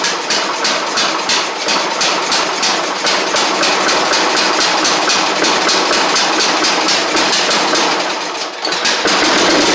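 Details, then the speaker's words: Troy-Bilt Horse XP after an engine swap, with a new Kohler Courage single carburetor per the parts list (carburetor doubted): the small single-cylinder engine runs on its own at a steady, fast patter with crisp, even ticking. "so what I'm going to do is just crank it over and see if it'll run on its own. And if it does, then that's going to be really good."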